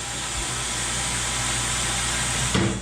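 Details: Coats rim-clamp pneumatic tire changer dismounting a tire from a bent rim, fed by a new hose reel; strong steady air rush and motor drive ending in a sharp thump, full air supply, normal.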